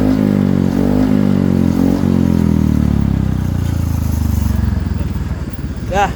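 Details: Yamaha TZM two-stroke after exhaust repair and repack (broken neck and cracked section fixed, stainless tip fitted), refitted to bike: crisp rev rising and falling cleanly with throttle, no rasp or leak hiss; healthy exhaust note.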